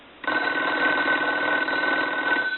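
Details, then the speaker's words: Decorative wood wall telephone rung with a line analyzer on low setting; about two seconds of buzzy rattling clatter with a thin high tone, not a clean bell; abnormal bell ring, cause unknown. "uh we're gonna have to check that bell out it does not sound proper to me"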